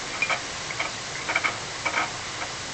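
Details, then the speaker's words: Coleman Powermate Maxa 5000ER extended-run generator engine valve job, owner cites burnt valves as a common cause of popping: short gritty metal-grinding scrapes in quick bursts as the valve is lapped by hand on its seat, showing good contact. "sounds like metal grinding you know you're getting good Contra"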